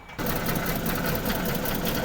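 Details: Ford BA Falcon, 390,167 on the clock, left in a paddock for 8 years, started up: uneven, lumpy idle with a busy, chattering beat from a misfire; rattling heard underneath, possibly catalytic converter or exhaust bracket.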